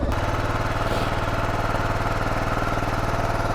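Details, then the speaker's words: Kawasaki KLR 650 single-cylinder, first ride of the season, cold on choke during warm-up: steady, fast thump held well above normal idle, somewhat uneven; high idle from choke, but revs intermittent, so a problem is still suspected. "It's choked out, that's why it's revving high. But the revs are intermittent. It should be a little bit more consistent still, so I think we still have a problem."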